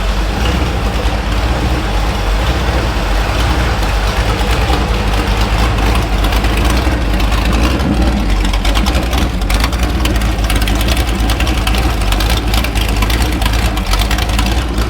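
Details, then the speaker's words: Small-block Chevy V8 on an engine stand with radiator and gas tank added, warm at about 157–160°F with excellent oil pressure, likely non-stock cam; idling at about 820 rpm with a deep, steady, even rumble, no knocks or misses; normal idle. "Let's let it run for a little while longer. Just see how it acts. I'm surprised that carburetor is doing that good."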